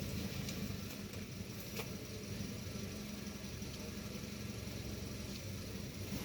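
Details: Toyota Vios petrol engine with a rough idle: a low, uneven, unsteady rumble instead of a smooth beat.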